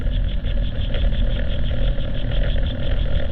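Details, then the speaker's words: 2016 Nissan Rogue driven at about 30 mph, heard on channel 2: heavy steady low rumble and growl from that wheel, unlike the slight brake noise elsewhere. Bad wheel bearing. "we're getting some noise on channel two let's go to number three we're just getting a little bit of brake noise number four just a little bit of brake noise seemed like the noise is coming from Channel 2."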